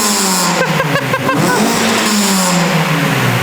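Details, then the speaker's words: Mini revving just after its new exhaust back box was fitted for the MOT: the engine rises and falls smoothly with a few sharp pops on the overrun. A healthy engine with a free-flowing back box. "Oh my god, I love this car. It actually just popped. That sounds amazing."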